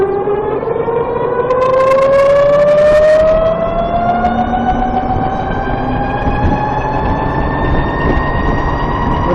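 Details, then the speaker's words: VX1 warmed up, riding under load at lower speed after a hill: high steady chirping tone climbing in pitch with road speed over the engine. Suspected transmission chirp, louder when warm, starting around 30 mph. Cause unconfirmed. "That was another hill, and it was nice and loud, if you can call that nice. It seems like once the transmission is warmed up, it's louder."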